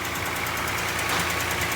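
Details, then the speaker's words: Toyota Highlander 2GR-FE V6 at cold idle, heard from the side under the hood: quick, even knock over the engine note, piston slap, worse when cold; owner says no oil consumption, and there are no leaks. "Клиент говорит, что масло вообще не жрет, но присутствует такой вот неприятный стукоток."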